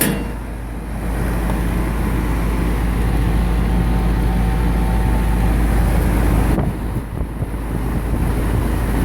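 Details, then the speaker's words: AC condensing unit after replacing 60+5 µF dual run capacitor, running in rain. Strong steady low hum with even fan whoosh, no rattle or stalling; normal running. "moment of truth oh she's alive flinging water all over me but she's alive"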